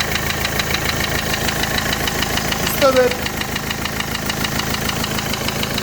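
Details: Renault Clio 3 1.5 dCi diesel at idle: a rapid, regular hard knock on every turn; the engine is described as completely dead and being dismantled, exact failed part unconfirmed.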